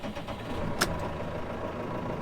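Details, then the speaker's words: 2018 Case IH Farmall 120C 120 hp diesel tractor: even, low idle with soft regular purr, one brief click from handling. Normal healthy idle. "we're gonna start this up I'm going to recollect the first day that we use this but let's listen to this engine purr"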